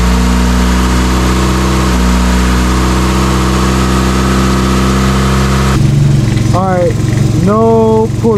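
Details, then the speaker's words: Mazda Miata idling smoothly after the front crank pulley wobble fix, with a new keyway, Woodruff key and Loctite: steady hum with no wobble, rattle or knock. A downpipe exhaust leak is still present. Normal idle. "now it's running so smooth i'm happy it's running smooth"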